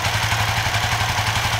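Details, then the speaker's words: Suzuki FU FI 150 / GSX 150 with tip-over sensor bypassed by a 4K resistor reading 0.8 V (temporary fix): even steady single-cylinder putter at idle, no misses or stumbles; normal idle. "Nah ini 4K, kita nyalakan, nyala normal ya kan,"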